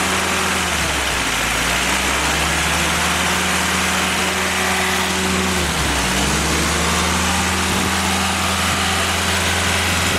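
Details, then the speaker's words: Willys F-134 F-head four-cylinder fresh rebuild on engine stand during break-in; smooth even running, revs rising and falling cleanly, no knock or miss; normal running. "but uh it ran perfect it broke in properly uh perfect oil pressure and temperature"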